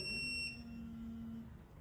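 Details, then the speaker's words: Snap-on electronic torque wrench pushed far past its maximum torque capacity: shrill electronic beep cutting into a low steady buzz, its different over-limit warning. "No si yo todavía me sigo sobrepasando Es decir me sobrepaso por muchísimo del valor ya no deseado sino de la capacidad máxima de torque entonces también vamos a escuchar ese ese pitido pero de una manera diferente"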